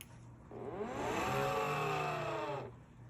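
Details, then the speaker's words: EGO 56-volt lawnmower battery charger on plug-in: harsh rough whir from its cooling fans swells, holds about two seconds, then dies away; failing cooling fan, to be replaced. "This is the charger for my Ego lawnmower battery, and when it comes on, it makes a horrible sound because there's a couple of cooling fans."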